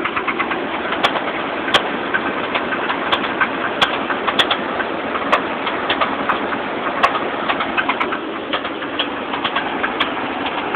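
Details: 1986 Chevrolet Silverado truck at idle: uneven sharp ticks and rattles pop up irregularly, with birds in the background. The owner says it is not a rod knock because it is inconsistent; intermittent engine rattle, source undetermined.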